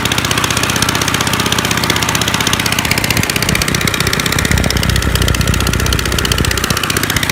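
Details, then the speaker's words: 1955 Gravely Model L single-cylinder, points cleaned, mid throttle, neutral: loud raw rapid popping, uneven beats, unmuffled open exhaust; ran half-choked, owner suspects carb needs cleaning or needle adjustment. "it was kind of on like half-choked the whole time so it probably needs you the carb cleaned or maybe just even the nee"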